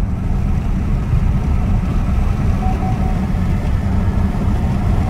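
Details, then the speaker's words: 2017 Chevy Impala Premier test drive after a transmission replacement, accelerating to about 55–60 mph; smooth engine and road hum with no slips, flares or clunks; the automatic shifts as it should. "it seemed like it shifted like it's supposed to pretty good"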